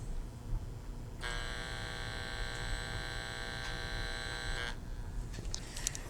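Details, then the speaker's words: Carver Silver 9t amplifier, fed from a signal generator with the microphone held close: a clean, steady tone for about three seconds. The oscilloscope shows a clean sine wave; the channel works normally. "you can see that's a pretty clean looking sine wave and it tracks along with you know what the output of the amplifier is"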